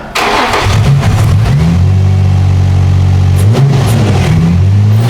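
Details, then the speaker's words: 2004 Infiniti G35x with used ECM and reprogrammed keys, which idled then dropped out and wouldn't take throttle: with MAF sensor unplugged it catches, blips, holds steady even idle, confirming faulty mass airflow sensor. "Let it idle. So we got a MAF issue for sure."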